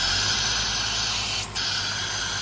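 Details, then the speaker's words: Mercedes M130 engine with mechanical fuel injection pump, just started cold after pump setting: loud steady hissing suction over even idle just over 1000 rpm; warm-up valve drawing air hard, working normally, later dropping to 800 rpm. "okay guys well right off the bat there it is she's at just over a th seems to be working stck in air like crazy"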